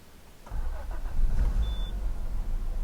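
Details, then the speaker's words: Peugeot 406 Coupe, cranking on a temporary small battery because the original won't hold charge: a short, heavy, slightly sluggish churn before it catches. Owner puts the starter drag down to lack of use. "there's a slight drag on the starter motor so I think that's lack of use"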